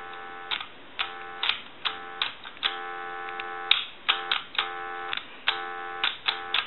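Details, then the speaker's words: Original Mickey Mouse telephone on a line analyzer, before repair: short bursts of shrill dual tones sound over a steady dial tone that never drops, so the faulty tone keypad fails to break dial tone and the phone does not dial out. "if you watch the analyzer as you can see it's not breaking dial tone"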